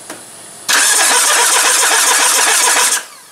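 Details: Mitsubishi RVR 2.0 L petrol being sorted out for electrical faults, with the crew reading diagnostic blink codes. About two seconds of fast, even cranking with a rapid clatter, but the engine never catches. Cause suspected, not confirmed.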